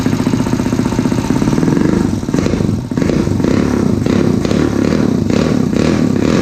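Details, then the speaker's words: Honda CT70 with 212cc single-cylinder engine, warmed up, valves adjusted many times; idling and blipping with busy clattery top-end rattle over the exhaust; owner says 190/212cc engines are noisy; mechanical noise, cause unknown. "I don't know what it is about the 190s and the 212s, but they're noisy. It just sounds like there's noise coming from the motor."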